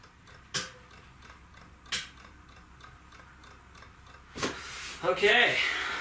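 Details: Off-grid inverter on a weak battery bank trying to run a vacuum cleaner: a few sharp clicks with faint ticking between, vacuum never spins up and won't run; inverter overload clicking.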